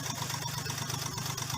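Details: Hyundai Xcent petrol engine idling with code P0201, injector circuit open on cylinder 1: steady, rapid knocking beat and uneven pulse, a cylinder misfire causing rough idle with knocking.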